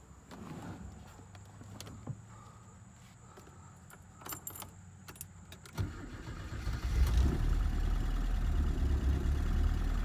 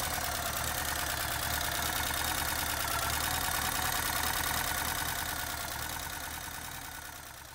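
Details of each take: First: 1983 Porsche 944, first start after sitting 20 years with rebuilt head: rattling while cranking, then rough running with an uneven tap; misfire because cylinder 3 injector connector wasn't seated, much better once plugged in. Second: 1983 Porsche 944, sitting since 2000 after timing belt broke valves, head rebuilt, restarted after reseating cylinder three connector that caused tapping: even steady idle pulse about three beats a second, no tapping or misfire; old oil not yet changed; normal idle.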